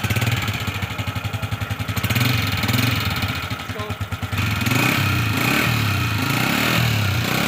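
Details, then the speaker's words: Honda CG 125 motorcycle idling with a fast, uneven ticking clatter from the top end; rockers (cam followers) are very noisy and need adjusting via the adjusting bolt rather than replacement. "जिसके केम follower यानी रकर आवाज कर रहे हैं जिसको हमने start करके आपको भी इसकी आवाज सुनाई है हमने भी सुनी है जिसके रॉकर जो है वो बहुत ज्यादा आवाज कर रहे हैं"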